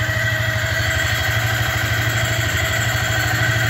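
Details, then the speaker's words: Yamaha Vixion long unused, racing throttle fitted: immediately on key-on, without starting, a steady high-pitched whine over uneven chatter; sounds like the fuel pump humming continuously, comes and goes; source not confirmed. "Nah ini langsung bunyi guys enggak usah pakai starter guys ya Nah ini suaranya itu kayak gini ya Nah suaranya aneh"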